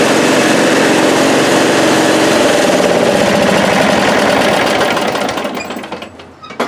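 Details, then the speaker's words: 1998 Briggs & Stratton V-twin that bogs at full throttle, run with a spark tester on the cylinder with the blackened plug; it runs fast and even, and spark is confirmed on that side; cylinder firing. "okay no question there we got spark on that side"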